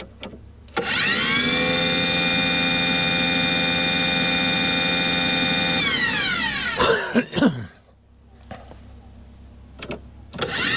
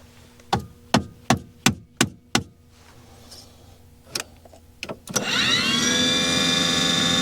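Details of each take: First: Aquahot 400D RV diesel boiler: the burner fan motor spins up to a steady hum, shuts off and restarts with no flame rumble or smoke. Warm air comes from the exhaust with no raw fuel smell. Not lighting. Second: Aquahot 400D RV boiler after repairing the burner motor relay: a run of sharp clicks, a pause, then the blower motor spins up to a steady whine and holds. It now starts every time, where originally it would not come on; the burner lighting is still unconfirmed.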